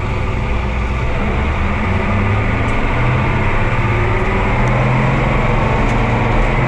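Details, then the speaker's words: Oliver 2255 front-wheel-assist tractor on a test run after a service of engine oil, transfer case, front axle, rear end and hydraulic oil: a steady, even low diesel rumble with no knocks, misses or surges. Normal running; owner says he'll check for leaks. "well i think we're in business we'll give it a quick check over here for anything leaking but i think that we are in good shape"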